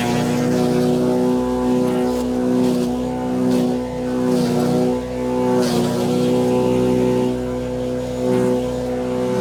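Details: Wood chipper chipping branches after a broken ear was welded back on; steady engine drone that sags slightly as branches feed in and recovers quickly. Normal operation under load.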